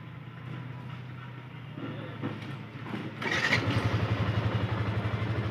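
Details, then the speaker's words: Yamaha FZS V2 at 437 km after tappet and timing chain adjustment: steady, even single-cylinder idle with a regular beat and no tappet tick or chain rattle; engine now sounds smooth and healthy. "Sound adjust করা হয়েছে, tappet timing chain. এখন সাউন্ডটা সুন্দর হয়েছে, একদম perfect sound."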